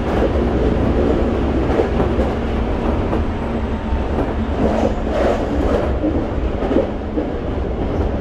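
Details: Toei 5300 series set 5315, Mitsubishi GTO-VVVF, on Keikyu line limited express Misakiguchi–Kanazawa-bunko, in-car recording; steady rail rumble and wheel clatter with a faint odd tone on top, abnormal traction inverter noise.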